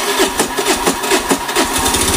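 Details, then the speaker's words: Honda Beat FI sputtering and dying on throttle; fuel pressure below 10 PSI (normal about 40); small uneven sputters and coughs, barely holding idle; stumbling idle from low fuel pressure, fuel pump parts to be checked. "yes, the pressure is not up to 20 PS, friends, the normal pressure is on and here it's not up to 20 PSI, not even 10 PSI."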